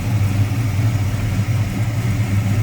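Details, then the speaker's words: 1973 Plymouth Duster 340 V8, dual exhaust with Flowmaster mufflers, hood open: deep warm idle with a gentle even cam lope and strong low rumble; runs smooth and healthy. "Smooth running 340."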